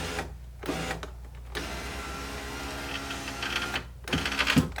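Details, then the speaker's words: 2012 Chevrolet Cruze front passenger window, first test after fitting a new regulator with motor (broken clips suspected): motor whirs with a choppy, labouring buzz that stops and restarts, sounding strained, like the glass is binding. "That doesn't sound good."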